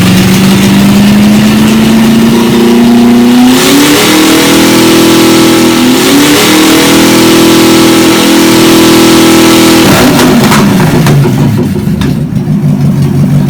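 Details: Chevy 283 V8, sat for a while, run on the shop floor after ignition timing advanced a bit: even rumble rising smoothly with throttle, holding higher speed, settling back cleanly; healthy normal running.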